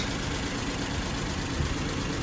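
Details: Suzuki Celerio engine after removal, oil sludge cleaning and reinstall; idle after restart. Smooth even idle, low steady rumble, no tapping or knocking; oil circulating strongly, engine judged okay.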